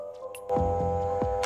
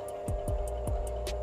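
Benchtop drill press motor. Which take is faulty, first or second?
first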